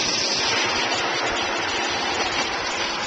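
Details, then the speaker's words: Newly installed energy-efficient two-speed pool pump, replacing a single-speed motor, switched to high speed through a solar-activated two-speed relay. Strong, steady water rush and motor hum holding even: normal running on high speed. "if we turn the solar on it will automatically switch the power from the blue to the red and run the pump on high so let's try that now"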